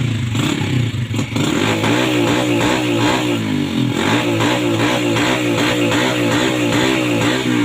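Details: 2007 Yamaha Vega R small motorcycle engine surges and stumbles unevenly: misfire/hesitation from a carbon-fouled spark plug.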